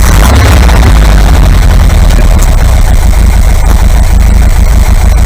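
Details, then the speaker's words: Air-cooled VW 2-litre flat-four bus engine, top-end rebuilt, 2,000 km since; warm, after carb balance and mixture tune, revs returned to idle; judged okay for holiday. Deep, even low rumble with no knocks or misses. Normal idle. "I don't think we're going to get much better than that. So I'm going to say this engine is okay, ready to go on holiday."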